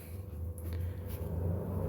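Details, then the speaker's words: PS2 SCPH-30001 disc drive with Gran Turismo inserted: low steady buzz rising slightly as the drive struggles to read; suspected bad flag, unconfirmed; disc drive buzzing. "yep that buzzing sound sounds like a bad flag"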